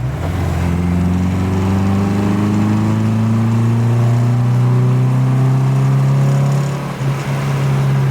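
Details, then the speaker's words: MGB after a specialist fixed engine issues and gave it a proper tune, with Touring Trophy exhaust, driving under load with a downshift. Deep strong exhaust note climbs steadily, brief dip at the shift, smooth even pull, no knocks or misfires: normal, very torquey. "it's such a torquey little engine it's crazy"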